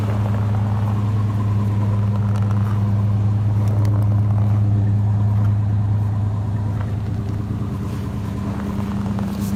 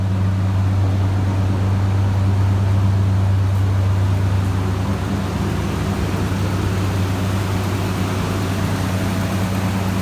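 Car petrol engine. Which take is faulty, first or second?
first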